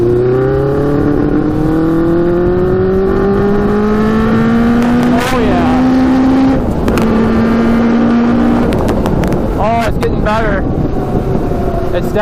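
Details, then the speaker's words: Custom Yamaha Banshee with Suzuki Katana 600cc engine, Stage 4 jets, riding with pod filters removed: loud steady buzz climbing smoothly through each gear without stumbling; pulling cleanly under load, better without pod filters. "better without the pod filters um so oh so oh yeah yeah she's running pretty good now"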